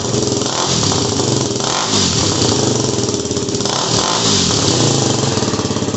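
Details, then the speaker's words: Yamaha WR250R with Honda CRF230F muffler repacked (new fiberglass, stainless screen, RTV sealed), cold start: single thumping at fast idle with light blips, even exhaust note; owner thinks it sounds a little better. "don't know if you can tell the difference but to me it does sound a little better"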